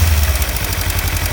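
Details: 2015 Kawasaki Ninja 300 twin at warm idle: quick, even tick over the low rumble, appearing only once warmed up; owner suspects cam chain tensioner or loose exhaust header bolts, not confirmed.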